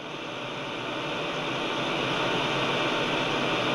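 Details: Grundig Satellit 800 receiver, returned after reported issues: only a steady, even hiss while tuning through stations, no chugging or pulsing; normal noise floor.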